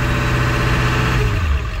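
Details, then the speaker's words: Warm Ford 7.3L Powerstroke diesel in neutral: deep rumble picks up on the throttle blip then sags back; owner says the IPR (injection pressure regulator) is going out, causing bog under throttle, worse late in the day when warm; transmission also fried. "but pretty much when you have an IPR, you're knowing signs of failure is the engine's going to want to bog down when you give it any throttle."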